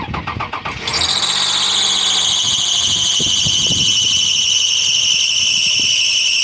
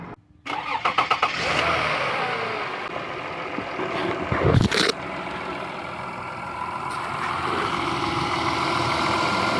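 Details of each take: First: Toyota Sienna 3.3-liter with a newly installed, partially rebuilt engine: as it starts, a loud, piercing, steady screech at idle from the power steering pump, noisy since the engine install; the pump is being replaced. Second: Toyota Sienna 3.3 L with a recently partially rebuilt engine, after power steering pump replacement and bleeding the system: a few cranks, it catches and settles into a smooth, even idle with no screech or whine, and the noise is gone.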